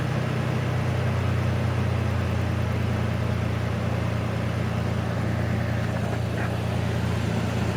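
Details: 2007 Ford Ranger engine at steady, even idle with a smooth low hum and no chirp or squeal, after replacing the shaking belt tensioner with a new Motorcraft one and fitting a new belt to cure a squeak; belt drive sounds healthy.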